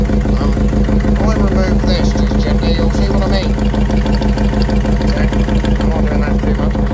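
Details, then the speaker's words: Mercedes Sprinter Luton, about 2006, OM611 turbo diesel, 129,000 on the clock: loud, even idle clatter with steady low drone and pulsing beat, blowing heavy oil and smoke; owner suspects combustion gases entering an oil way, possible cylinder one piston issue. "it's blowing so much oil and smoke out of it we are official to tell but it's definitely cylinder one"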